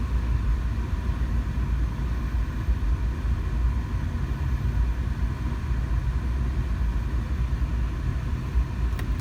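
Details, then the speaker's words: 2005 GMC Envoy 4.2L with code P0480 and an electronically controlled viscous fan clutch, running with A/C on. ECM commanding the fan; deep, steady rushing roar, no rattle. Normal cooling fan engagement. "i want to make sure from a cold start so we're at 20 degrees celsius uh that it does work so we're gonna check to see is in a cold startup if this fan speed does start meeting desired fan speed in a reasonable amount of time"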